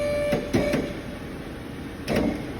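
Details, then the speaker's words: BMW 330i with an N52 engine that misfires intermittently and cuts out, raised on a jack during a fuel pump current-draw check: uneven thumps break the steady running note, spaced irregularly a second or more apart. Intermittent misfire; a failing pump is suspected. "Well, let's look at the current draw now. Whoa, hear it misfiring then."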